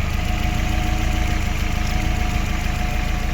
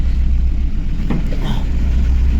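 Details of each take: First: Chevrolet Aveo 1.5 8-valve after head gasket repair, fully warmed, new oil and antifreeze, lifters bled: low, even idle, smooth steady beat, no misfire or puffing; normal idle. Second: Chevrolet Aveo 1.5 8-valve Opel engine, rebuilt two years ago, unknown mileage: deep uneven idle with stumbling thump, misfiring with no check-engine light; blown head gasket, suspected into cylinder four, sludge in coolant, before head repair.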